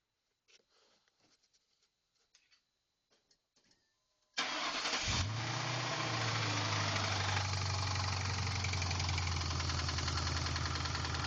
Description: (Video from 2009) My 2003's rod knock after pieces of the timing chain guides clogged the oil pickup tube while doing a WOT run after performing the j-mod.